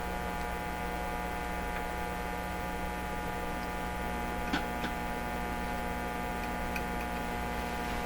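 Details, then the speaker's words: Hallicrafters TW2000 World Wide tube radio under repair, signal tracer probing the output tube grid, powered from bench power supplies: steady, buzzy low hum with a rich stack of overtones; mains hum in the audio stage, source suspected in the supplies, unconfirmed. "Interesting question is, well, where's the hum come from when I'm using these power supplies?"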